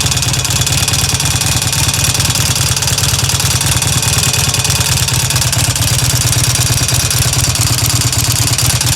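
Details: Harley Evo V-twin at idle: loud, lumpy idle with a light ticking clatter running steadily over the thump; source of the tick unknown.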